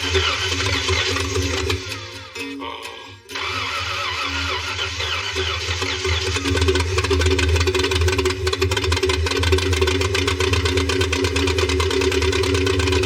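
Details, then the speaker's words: 1966 Ford Mustang fastback with a 289-style V8 swapped from a '61, not run in over 20 years, first start after fuel, carburetor and wiring work: lumpy, uneven stumbling idle, misfiring and running on only four cylinders. "It sounds so bad. [Music] It's alive. Well, 62% of it. That sounds really terrible. And it's running on four."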